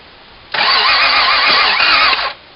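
Starter spins the engine steadily for about two seconds with no catch or firing at all, then quits; cranks but won't start.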